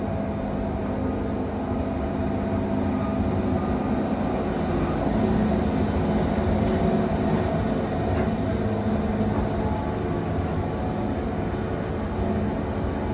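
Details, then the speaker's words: Wood-Mizer Super 70 sawmill with new drive belt (about 4-5 hours run) and resharpened 747 Turbo band, cutting a very knotty log at maximum push: steady drone, even hum, no bogging; tears through, with only a little belt slip. "I mean, that's an extremely knotty log right there, and it's just tearing through that like it ain't nothing."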